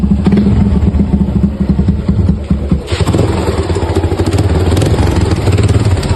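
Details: Suzuki Gixxer 150 motorcycle idling: rapid hollow clatter, loudest in the first seconds then settling slightly; piston slap.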